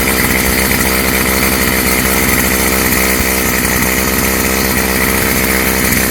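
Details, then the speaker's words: Stihl FS55 trimmer two-stroke after a new Hipa carb kit install, on choke with the air cleaner off, warming up: high buzzy note holding steady at a decent idle without bogging or surging; normal running. "See how it runs without the air cleaner. Not bad. Sounds good. Idling at a decent idle or RPM."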